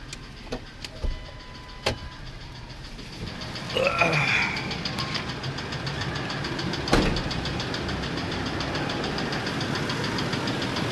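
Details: F-150 with 180,000 miles, idling: faint uneven ticking knock, getting louder; pulling each spark plug considered, replacement engine recommended; engine knock.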